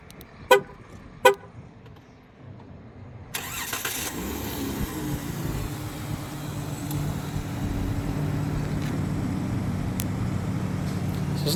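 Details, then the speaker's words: 2014 Chrysler Town & Country started: two horn toots, a short crank, then fires and settles into a smooth, fairly quiet idle; starts well. "it actually starts up fairly well."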